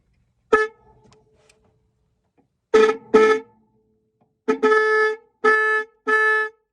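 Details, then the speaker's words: Horn from a 1965 Toyota Tiara under revival, one-wire horn powered directly for testing: six sharp clear steady-pitched honks with no rasp or crackle; horn working normally. "oh that's not as cool as I thought it'd be so I guess maybe both partying at the same time pretty sounds pretty cool"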